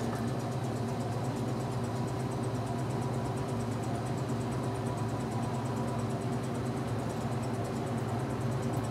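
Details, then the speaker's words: Washing machine being un-winterized in the cold, with a replacement motor, spinning up: steady spin hum with faint regular high squeak from the two rubber fill hoses rubbing together; also slight motor or belt squeal, tub bearing starting to go. "what you're hearing that squeaking is you're hearing is the two rubber Bill hoses rubbing"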